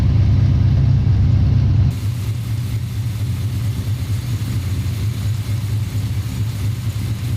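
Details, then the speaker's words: 1990 Chevy Camaro small-block V8 with Holley Sniper EFI, idling: deep steady rumble with a light, regular tick about four times a second; rockers, pushrods, exhaust, belts and pulleys checked OK, and the owner suspects a bad rod bearing (unconfirmed). "okay but anyways that that's how it's been running right now you can hear that slight tick"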